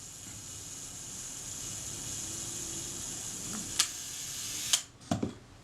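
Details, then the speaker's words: Agfa Agfaflex SLR Copal shutter under service, lever set to V (self-timer): faint low buzz as the timer runs down, then sharp shutter clicks; self-timer releases the shutter properly. "That must be the V setting there. Which of course is the setting for the uh self-timer. And it is indeed."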